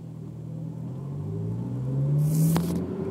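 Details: Honda S2000 under throttle: low tone climbing with road speed, noise appears only with foot on the gas; drivetrain whine, owner unsure whether diff or transmission.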